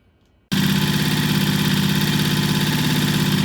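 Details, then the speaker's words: Vintage British T20M single just after its timing was adjusted with a strobe light, blowing a lot of smoke: catches instantly and settles into a steady, even thumping idle with clean, regular firing; normal start and run. "That is a running motorcycle, blowing a lot of smoke. Maybe it'll clear up. All we did was adjust the timing with the strobe light."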